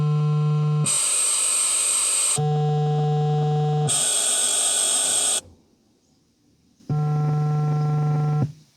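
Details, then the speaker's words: Ford Focus Mk2 speaker test via the Ford 6000 CD stereo (buttons 3 and 6, ignition on): low and high tones play from each speaker in turn, but the rear right stays dead silent; that speaker is not working. "There was no noise at all from the right rear speaker, so that one's not working on this car for whatever reason."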